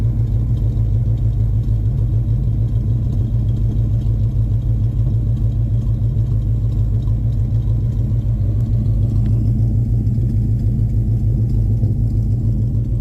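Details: 2000 Ford Explorer 302 5.0L V8 AWD: deep steady V8 rumble with a rough pulse around 200 per minute underneath; abnormal engine noise recorded for troubleshooting, cause unknown.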